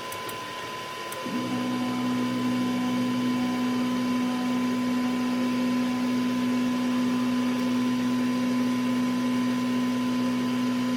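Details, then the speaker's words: Creality CR-200B 3D printer, new, bed driven all the way down via settings/move before first homing: a steady even motor hum with no grinding or skipping, and the bed ends well clear of the nozzle; normal Z-axis lowering. "okay so you can see i've dropped the bed down and it's quite a long way away from the nozzle so that was fine"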